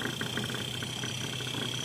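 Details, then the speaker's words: Samsung inverter fridge with 3-blink compressor error code, microphone near the compressor after power-up: soft, even hum with a faint high tone as the compressor starts and runs smoothly. "ये देख सकते हैं आप, ये आवाज़ कर रहा है, यहाँ से ये कंप्रेसर आवाज़ कर रहा है।"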